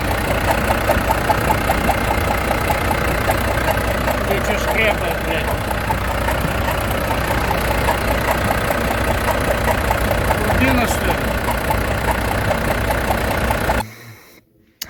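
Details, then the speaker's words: Volvo FH13 truck diesel idling; light fairly regular tapping from the valve cover area, around 150 per minute. "сегодня у нас очередное варва проблемы со стука в моторе из района клапанной крышки сань какой-то посторонний звук ничего понять не могу"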